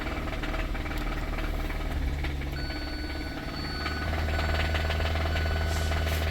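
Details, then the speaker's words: 2017 Kia Sorento 4-cylinder (possibly turbo), towed in, with a very weak battery. Rough idle with a heavy, fairly regular knock about four times a second under the engine drone; rod knock, so the engine needs replacing. "You keep a knocking, but you can't come in. So that is definitely an issue. So looks like this thing's going to need a motor."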